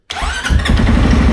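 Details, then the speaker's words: CFMoto CForce 600 ATV with a dead battery dealt with: quick crank, catches straight away and settles into smooth even idle; healthy start, no-start was caused by totally shot battery. "Look at that. Started right up. So, that's definitely what was happening with it. The battery was totally shot."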